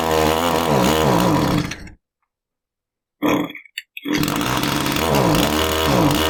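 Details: Echo string trimmer two-stroke powerhead that runs poorly, with the fuel cap loosened. The engine surges up and down unevenly, cuts out for a moment, then stumbles back. The carburetor fuel pump is not delivering fuel.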